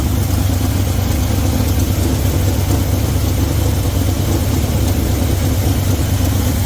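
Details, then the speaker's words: 1972 Chevy C20 V8 after years sitting, idling: loud, lumpy idle with uneven low beat and occasional stumbles; thermometer shows cylinder 4 running cooler, suggesting a misfire there, possibly several cylinders; unconfirmed. "There's four, which is, you can see it's down a little bit. Makes me think we might have a misfire on cylinder 4."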